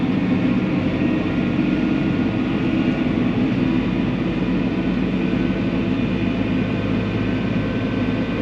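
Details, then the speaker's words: Diesel farm machine overdue for a missed service: a heavy drone with a thin, steady squeal riding on top as the throttle is held down; belt or bearing squeal, cause unknown. "did you hear it there's a squeal like a belt squeal or a bearing squeal i don't know what it is"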